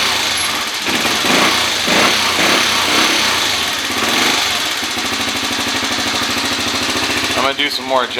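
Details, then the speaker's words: 2013 Kawasaki KFX 50 quad that runs but needs work. The small engine buzzes with a rattly beat whose speed keeps hunting up and down, and it won't hold a steady idle. "yeah you can hear it i don't know if you can see it okay are you even paying attention you can hear it here it goes so it doesn't want to idle very good"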